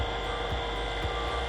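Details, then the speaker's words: Makita DVP180Z cordless vacuum pump on a Milwaukee 4.0 battery via adapter, connected to a manifold for home AC work, running at its second stage where it pulls real vacuum: steady, quiet, vibration-free hum, no knocking; normal running, though the owner notes it heats up over time. "Tu je gdje ona praktično počinje da pravi onaj pravi vakum. Veoma je tiha, nema vibracija."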